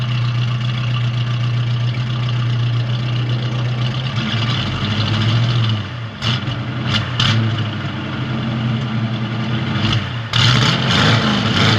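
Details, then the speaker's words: 1970 Ford Mustang with power steering and brakes, just started, oil pressure rising, alternator working: deep even burble with a couple of clean throttle blips, no knocks or ticks; normal idle and revving. "This thing runs really good, nice and smooth. As you can see, it's not making any kind of crazy noises. It sounds good."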